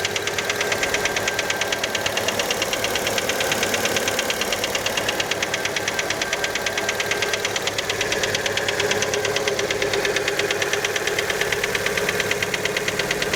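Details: Fiat Panda engine after a cold start: a sharp, regular mechanical knock, about three per second, over the cold idle. Many suspect the piston skirt, but the exact source is unconfirmed.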